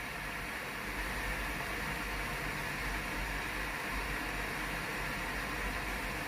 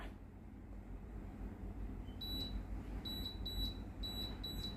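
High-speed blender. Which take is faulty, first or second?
second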